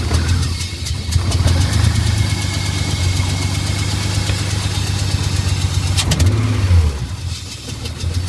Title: OBDI S52 swapped e36 rough idle